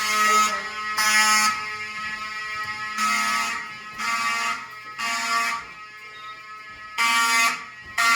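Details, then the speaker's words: Silent Knight 5208 fire alarm panel test in a historic hotel, Wheelock 34T horns and SpectrAlert Advance: harsh horn blasts about once a second over fainter horn droning continuously, as panel programmed; horns sounding normally. "Oh, that's just panels making it do continuous, so it's fine."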